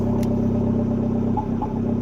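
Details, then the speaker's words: Dart that has been misfiring, with more backfire than normal: steady hum then uneven stumbling dips while driving after a fuel sending unit fix; misfire, owner now suspects fuel rather than spark. "hear this that's a misfire so it makes me think it might not be Fuel and Spark or a spark it might be fuel"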